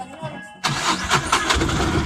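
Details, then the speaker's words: 2013 Mahindra Maxmo diesel (had crank-no-start, low pickup, codes P0335, P0336, P1120, P0223) after fault codes cleared: catches at once and settles into an even running clatter; starts cleanly. "गाड़ी start और ये रहा गाड़ी actor तो friends काम हमारा हो चुका है"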